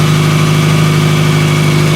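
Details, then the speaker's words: 2000 Toyota Camry cold start at 44°F after misfire fixed: loud raspy exhaust drone with puffing pulses, steam from underneath; known exhaust leak, owner suspects rotted flex pipe. "i know about it don't tell me because i know i can hear it you can hear it there's an exhaust leak"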